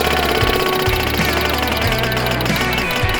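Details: Barn-find MG TC, unstarted since 1984, electric fuel pump priming: quick, even ticking slowing to a stop as fuel is pushed through, over background music; pump working, a loose fitting leak found.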